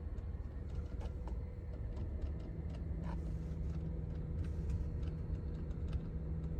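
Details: 2011 Honda Odyssey: faint, sharp relay-like clicks at random intervals from behind the instrument panel over a low steady engine hum; not tied to speed, AC or lighting, no other faults; owner suspects a relay, cause unconfirmed.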